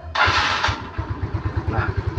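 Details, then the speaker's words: Yamaha Mio Smile scooter, which loses power after riding about 40 km, after fixing a stuck part and setting the adjustment to 3 turns: starter whirs briefly, engine catches at once and settles into an even idle; starts easily now. "Nah, dia langsung nyala ya, tidak kesusahan seperti yang sebelumnya tadi."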